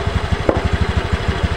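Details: Honda Beat ESP scooter, noisy CVT block, pulls fine but rough: fast steady low thumping with coarse rough drive rumble; worn CVT rollers and roller housing among possible causes.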